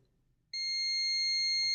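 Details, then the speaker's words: ALLPOWERS R600 power station that won't power on, checking MOSFETs for the shorted line: single steady beep over a second on continuity; one MOSFET shorted to ground. "Давайте подивимось, чи тут не таке саме. Один мосфет пробитий,"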